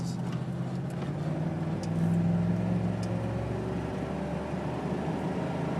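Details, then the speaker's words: 1999 Ford Crown Vic on the expressway: steady low hum, louder when letting off the gas, under road noise at highway speed, gone below about 40 mph, no vibrations; source still unknown. "As I let off the gas, it gets a little louder. It's not doing it as bad as it normally does. And once you get under about 40, you don't hear it anymore."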